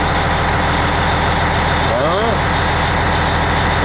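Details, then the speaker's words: Diesel truck after water pump replacement, cold, idle being set to about 800 rpm to raise oil pressure toward 60, though it stays around 49 (owner suspects added Lucas). Steady, even clatter, no knocks or misses; normal idle. "I'm going to set my idle up to about 800 that should raise that oil pressure up to around 60 I would think"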